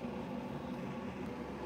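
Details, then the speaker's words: Keurig coffee maker brewing an 8-cup pot: steady low hum with a faint buzzy edge as the water pump pushes heated water over the grounds, quieter than a boiling drip maker. Normal water pump hum. "so keurig's brew their coffee a little bit different they use a water pump they heat the water and then you can hear a water pump pumping the hot water on top of the coffee grounds and in there"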